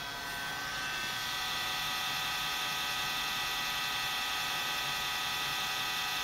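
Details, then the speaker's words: FSP power supply in a client PC getting a Ryzen 3 2200G upgrade: steady high-pitched whir with a faint fluttering rattle, constant speed; the power supply fan is failing and noisy. "an FSP power supply with a failing fan you won't see that every day"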